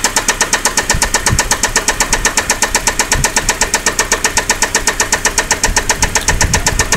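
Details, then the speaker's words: 2003 Saab 9-5 at idle, oil found about 1.5 quarts low before being topped up: steady idle with a sharp, even knock about four times a second from inside the engine. "We've got your 2003 Saab 9.5 here, and we're gonna start it up and check for this engine knock."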